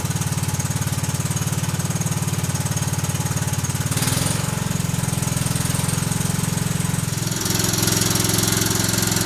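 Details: Kohler Command CH16S engine in a Cub Cadet 2166, after reinstall and reseal/electrical/starter refresh: even steady thumping idle, slight speed rise partway, no knocks or misses; runs good, warming up.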